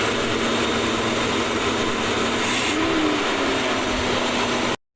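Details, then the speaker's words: 1970s Coachman Leprechaun motorhome engine, started after gas was poured into the carburetor bowls, oil pressure about 30 psi: steady, even drone with no misses or knocks, running normally. "Pretty good. What do you think? It started. You guys excited? Yeah. Yeah, so not too much involved, just needed gas, I think. Just needed to be bottle fed for a second there."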